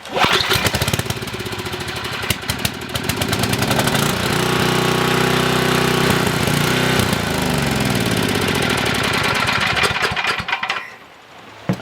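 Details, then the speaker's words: Coleman 5000 W generator with a faulty carburetor, needles adjusted and choke on: it fires and runs ragged for about ten seconds, then sags and dies as if running out of fuel. Fuel starvation; carburetor replacement later fixed it. "that could be a fuel issue still we may be still not getting enough fuel in it um because it idles just fine it just acts like it's running out of"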